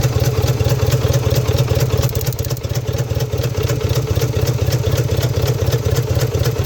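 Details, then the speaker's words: 1998 Subaru Outback EJ25 flat-four, deep lumpy running with a light crackling clatter on light throttle blips; cause unknown, owner suspects a short. "Here's how the motor's currently running. Now there's a funny crackling if I give it a little bit of gas."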